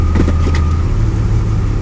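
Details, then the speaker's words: 2002 Chevrolet Blazer that clanks and jerks when shifting into or out of reverse and has leaked gear oil: engine holds steady idle through the shift into park with no clunk from the driveline; this shift sounds normal. "perfectly fine now I'm going to shift it from Park to drive nothing perfectly fine"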